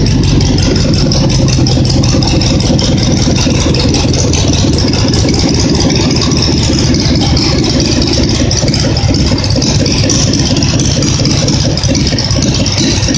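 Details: Loud, steady Simplicity small engine run with an even beat and some rattle but no misfire; earlier popped and misfired when revved, now only pops on throttle let-off, running fine.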